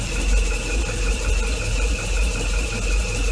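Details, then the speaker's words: Proton Saga Iswara LMSS at steady cold idle after valve adjustment, EGR cleaning and an oil change to 10W-40: smooth, even low hum with no ticking or valve clatter from the top end; valvetrain sounds quiet and healthy. "don't hear any v no don't hear any clatter just yet overall pretty good"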